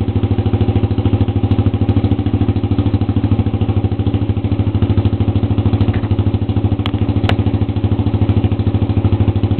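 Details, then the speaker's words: Honda CB125 four-stroke with exhaust cut off, baffle and spark arrestor removed, at idle: loud, raw, even popping with deep pulses and no muffling; loud exhaust from the removed baffle and arrestor. "it had a baffle in it and a spark arrestor that i ended up removing"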